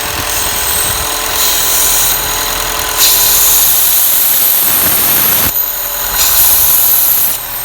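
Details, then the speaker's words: Chevy Cruze/Malibu/Impala at idle with degraded performance, a traction control alert and code P0171: loud, steady hissing suction from a torn internal PCV diaphragm leaking vacuum. The part needs replacing. "and one thing that we are experiencing is degraded engine performance and we can hear this internal diaphragm making a really loud and obnoxious suction sound"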